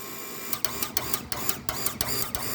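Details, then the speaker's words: Water pump fed from a 10,000-litre tank, switch chattering with sharp uneven clicks about four times a second over a faint hum, cycling on and off constantly even with one tap open; the contact has burned and broken. "ดีดมันดีดอยู่ตลอดเวลาแบบนี้ครับสุดท้ายลิ้นตัวนี้มันก็ไหม้แล้วก็หักเปิดน้ำแค่ก๊อกเดียวก็ดังอยู่แบบนี้ตลอด"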